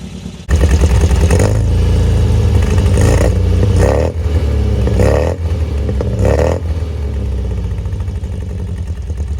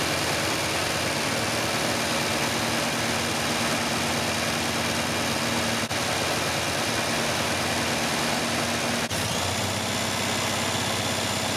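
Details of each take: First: 1974 MGB with a freshly rebuilt engine, fully warm, good oil pressure, idle slightly high. It picks up cleanly on several throttle blips and settles back to a smooth, even idle with no knocks or misfires: normal running and revving. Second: 1974 MGB after full engine rebuild, first runs: engine idles steadily with a busy, slightly uneven hum, no rise in speed; struggles to idle without choke; carb-cleaner spray around carb base and intake found no air leak, retiming still planned.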